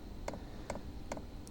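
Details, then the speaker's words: Vevor compact portable diesel heater, brand new and never fired, just switched on and set to 80: steady single fuel-pump ticks about every 0.4 s as it starts warming up; ticking expected to speed up once warmer. Normal startup. "So, that clicking is the the diesel heater starting to warm up. Once it gets warmer, it'll start to click faster."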